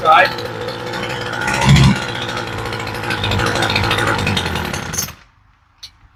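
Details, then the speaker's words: Homelite string trimmer (weedeater), long-sitting, new replacement carburetor, half choke: ragged two-stroke buzz that surges and sags, then quits after five seconds; rough running because the mixture screws were found backed fully out. "She's been sitting around a really long time. And when I checked these screws, they were all the way adjusted out. And you'll get them like that sometimes."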